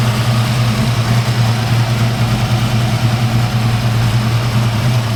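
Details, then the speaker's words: 1986 Mustang small-block V8, about 12:1 compression, on a 93/ethanol and race-fuel mix, just restarted after the distributor was reinstalled: deep, rumbling, loose lopey idle around 1100–1120 rpm (won't idle below 1100), no knocks or squeals; normal idle. "little motor's pretty hot uh it's about 12 to1 compression and I have to run a mixture of 939 ethanol plus race field but um they don't like to idle below 1100"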